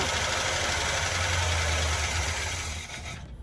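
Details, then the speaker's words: 1981 GMC Sierra half-ton 2WD of unknown condition, fuel poured into the carburetor, possibly flooded: rough idle with a fast, steady tapping rattle, seemingly from the passenger side, before stalling; owner suspects a stuck lifter, valve train noise unconfirmed. "Yeah, there's a bit of a rattle there. Could be stuck lifter."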